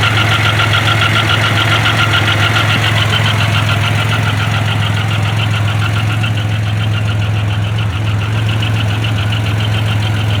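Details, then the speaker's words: Grand Am with 3800 supercharged swap (or the broken 07 GP), just after an oil change: steady idle with a fast, even knock about 3.5 beats per second. New noise; owner suspects rod knock, lifter or loose rocker, cause unclear. "is that a rod not foreign maybe a lifter man i hope that's not a rod knock maybe a loose rocker"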